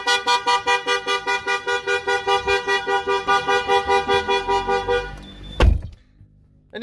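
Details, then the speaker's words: Range Rover Sport fitted with a StarLine Halo Plus immobiliser: an unauthorised start with a gear selected trips it. A loud pulsing horn-like alarm sounds at about 2.5 blasts per second, the engine stalls, and a code is entered to disarm it. "if you notice then, my colleague just inserted the code and disarmed it as quickly as possible. Obviously we didn't want to upset the neighbours."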